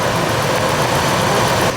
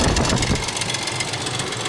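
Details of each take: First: 2000 Ford Expedition 4.6 after timing chain rattle repair: even, steady idle with no chain slap or rattle over the hum; engine sounds smooth and healthy. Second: 2000 Ford Expedition 4.6, constant rattle worsening over about 6 months: loud, busy clatter like marbles in a can over the idle, about four per second; the timing chain is slapping against the housing.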